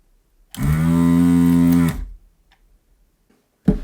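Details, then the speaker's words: Desoldering station Pro, new out of the box, second power-on after a failed first try, heating with temperature set from 160 to 350; short steady low vacuum-pump hum starting and stopping cleanly, working normally. "okay so it's set to 160 at the moment 350. seems to work very nicely"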